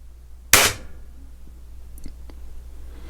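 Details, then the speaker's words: .22 Beeman R9 spring airgun after repair and tune, firing 14.3-grain dome pellets into a towel-stuffed pellet trap: one sharp, clean crack that dies quickly, with no wood knock or piston slap, as a smooth-tuned gun should sound. "right now I am very happy this is what a smooth tune gun is supposed to sound like not have wood knock and piston slap"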